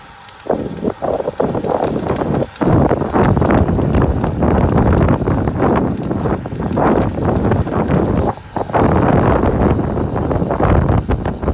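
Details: 2017 Cannondale CAAD12 105 road bike: rhythmic creaks and clicks in time with the pedal strokes while riding, partly buried under heavy wind rumble.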